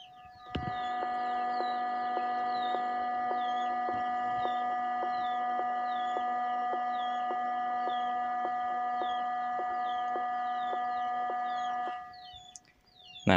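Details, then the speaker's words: DAT DA-313 power amplifier at zero volume, no music: steady high-pitched whine with a faint regular ticking through the speaker, birds behind; factory-inherent amplifier noise fault. "disaat volume nol semua musik berhenti ya ternyata di speaker ada suara noise seperti ini ya suara mendenging ya mendenging"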